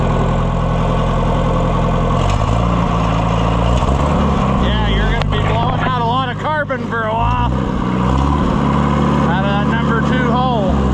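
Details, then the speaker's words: Late Oliver 550 tractor engine after pushrod repair and valve adjustment, first test run: deep, steady low rumble at idle with even beat, no knock or misfire; runs well, oil leaking out. "All the tools are falling. Boy, she runs good."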